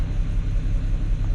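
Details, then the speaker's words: BMW 335i E92 N54 rough idle: lumpy uneven idle with stumbling beat, revving doesn't clear it; misfire persists after moving ignition coil, later logged on cylinder six; failing coil suspected. "so we'll see if we can move it to cylinder toe right now running again and it is still misfire around the bit rubbish right you know it's not gonna magically fix itself"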